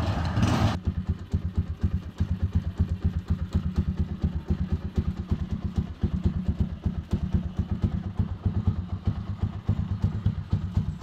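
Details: Small single-cylinder TMX155 motorcycle running after water was cleared from the carburetor: a steady, low idle thump of about four beats a second, normal idle.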